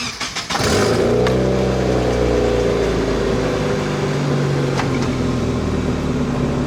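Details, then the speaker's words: Volvo 240 after new spark plugs and coil packs, with the MAF connected: the engine cranks, catches and settles to a steadier but still slightly high, mildly rough idle; it should idle a little under 800 rpm. "it it helped it definitely helped the idol's a lot more steadier but it's still a little bit high i think i think they're supposed to idle a little bit under 800."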